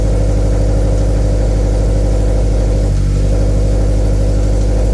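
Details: 2013 Scion FR-S after swapping in a used engine and oil priming, idling while coolant is topped off; steady, even low-pitched idle with a smooth pulse and no ticking or knocking: normal idle.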